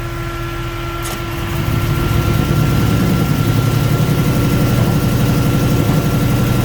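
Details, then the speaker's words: Toyota Surf with 1UZ-FE Lexus V8 conversion, coils wired wrong way around: lumpy, shaking V8 idle with uneven loping beat that swells louder, running on about two and a half cylinders; misfire from faulty coil wiring. "into the workshop as you can hear it's running on about two and a half cylinders and okay we're not we actually are we gonna make it oh yes we are oh I made it"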